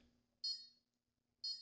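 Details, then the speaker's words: Konnected GDOv2-S smart garage door controller while flashing firmware over USB: two sharp high-pitched beeps about a second apart, like an old 8-bit video game; install failing, later traced to wrong COM port. "It sounds like a video game. An old 8-bit video game."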